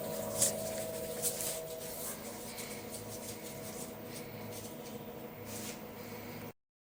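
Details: 10 kg LG direct-drive washing machine after replacing both drum bearings, running quietly with a soft, steady hum and no grinding or rumble from the drum.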